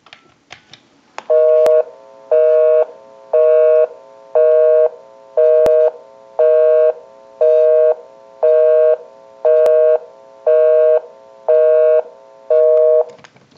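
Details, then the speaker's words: Western Electric Princess desk telephone after repair, final checkout via amplified pickup, calling own busy number; clean two-tone busy signal, about one even on-off burst per second, phone dials out properly; normal busy signal. "We'll call my number and it'll be busy."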